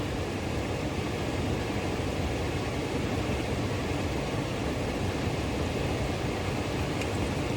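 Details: Trane variable speed blower motor, control flashes indicate 1100 CFM (doubted), door off: steady, even rush of air with no ticks, scraping or surging; normal blower operation.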